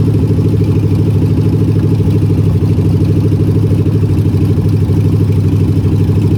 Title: bad bearings on a mopar 400 big block.